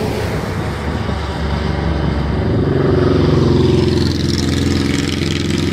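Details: GoPro Karma drone that wouldn't fly, after firmware update to version 2.5.1: smooth, even buzzing that swells as it lifts off, then holds steady; motors running normally.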